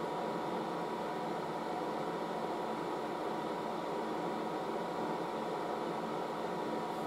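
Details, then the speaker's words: Late-1960s General Electric HD-8C bonnet hairdryer switched from cold to low, a bit of heat going in, air out the top, hose warming: a soft, steady airy rush with a faint constant hum, no pitch wobble; normal running on low. "so I'm going to switch it on to that's on call now and put on low so that's some low now so there's a bit of heat going in still a bit feel the air coming out the top there"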